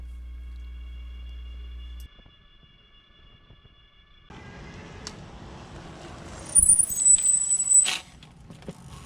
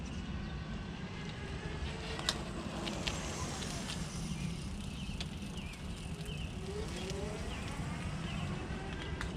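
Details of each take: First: Fiido L3 e-bike with factory mechanical disc brakes: sharp high-pitched squeal for over a second when braking while rolling, persisting despite adjusting and cleaning; fixed by upgrading to Zoom DB680 calipers and Tektro E10.11 pads. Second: Fiido L3 e-bike test ride after replacing stock rear brake with Zoom DB-680 caliper and Tektro E10.11 levers; steady wind and tyre rumble under braking, no squeal or pulsing — quiet brake.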